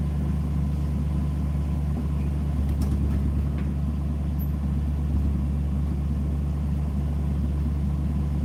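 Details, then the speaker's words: Engine given a couple of light revs before shutdown: deep, even idle rumble lifting slightly with each blip, smooth and healthy; normal running. "All right, let me just give this thing a couple little revs and then we'll shut it down and we'll go show the camper."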